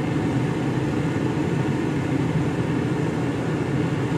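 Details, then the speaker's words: 2004 Mercury Grand Marquis AC, after replacing a fried blower control module that caused stuck high-speed fan: compressor kicks on, then a steady, even rush of air and constant low whir with no rattles or surges. The blower is running normally. "So, now let's crank it up and see what happens. Compressor kicked on. Here comes the fan."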